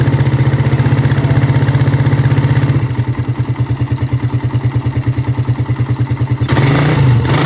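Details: Suzuki Satria FU carburetor motorcycle, fully cold engine: steady low pulsing beat about three per second that speeds up as it catches; cold start runs normally.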